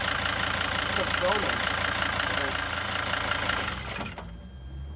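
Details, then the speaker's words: Junkyard replacement engine just swapped into a T1N Sprinter: diesel idle settles into a steady, even beat with no misfire stumble, clearly smoother than before; normal idle. "Holy shit, that sounds nice! Now it sounds a lot better. Yeah, what just happened? Something changed. Sounds a lot more even now."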